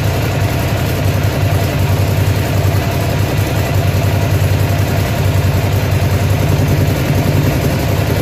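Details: Ducati Monster (696/795/796/1100) V-twin idles uneven and lumpy with an irregular beat and occasional stumbles; engine misfire at idle, cause not yet found.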